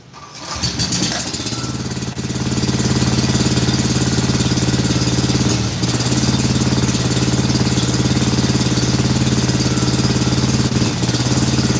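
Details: Scag mower with Kawasaki engine, being fitted with a new carburetor and PTO switch; steady but lopey idle at about 214 beats a minute with a hollow, uneven exhaust pulse; only one cylinder firing.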